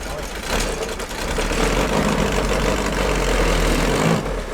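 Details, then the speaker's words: 1965 VW Beetle on a California-to-Oregon drive, clutch just adjusted, fourth gear failing, pulling away in third: steady rough grinding over the engine drone; suspected worn out, possibly not the clutch, unconfirmed; transmission to be pulled. "That's not clutch. Could be. It's worn out. It's just grinding."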